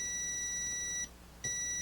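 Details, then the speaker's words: Continuity tester on Gorf ROM/RAM board: steady high tone cuts out briefly then returns at the same pitch, showing RAM socket pin 23 shorted to pin 1 (and pin 16) when it shouldn't be. "You can hear it. Pin 23, pin 1. Pin 1 is supposed to be connected, but 23 is not supposed to be connected to 1."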